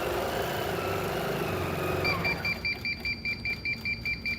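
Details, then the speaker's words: Grace 16x quilting frame: machine hum, then a high beep repeating about twice a second as the head nears the lower boundary, with the indicator light turning red; boundary warning. "as I get closer hopefully you will hear that beeping noise and the light also goes red so you can see it"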